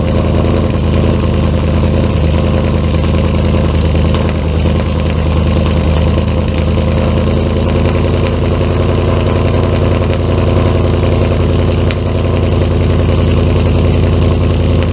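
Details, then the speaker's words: Ford Mustang V8 on stock tune, cold start with very low fuel: loud, even low rumble at a steady 800–850 rpm idle, no dips or stumbles; idle issue mainly appears when warm around 650 rpm. "it's still idling it like 800 850 RPM something like that my fuel is very low as you can see"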